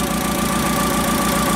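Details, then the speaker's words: CAT forklift hard to start when cold, before cylinder balance test: engine idles with a lumpy, uneven beat as one cylinder drops out now and then; ignition misfire at idle. "Started up right that time, but I don't know if you can hear this in the camera, but there is definitely a misfire on this engine."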